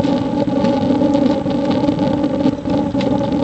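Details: J-tube rocket stove burning pellets: a steady, even roar with a low hum and no sputtering or puffing. The air-fuel balance gives the blast-furnace "rocket" effect, aimed at over 1200°F for a water-heating coil.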